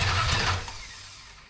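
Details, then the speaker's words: 1974 Dodge Dart Swinger old unknown small block: catches with a short rough burst, then fades out within a second and dies as it runs out of gas; stall from fuel starvation. "Let me put some more gas in it. That's why I stopped the first time and then it died."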